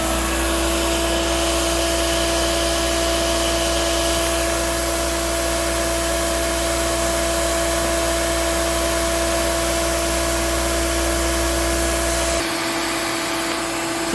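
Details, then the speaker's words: Hoover Dial-A-Matic 1136 vacuum running: steady motor drone with a rough, buzzy hum that drops away near the end; the brush roll is what sounds bad. "it's the brush roll that really sounds like crap."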